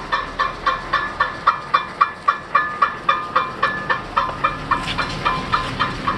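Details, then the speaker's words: 2005 Cadillac STS AWD after new front shocks, lower control arms and an axle, wheels spun on stands: light metallic scrape about four times a second, once per wheel turn; a front brake heat shield rubbing the rotor, fixed by bending it away and removing rust. "my that's it let's see it's a heat shield right behind right behind there it's a tiny heat shield the rest of it doesn't have one but that's all it is"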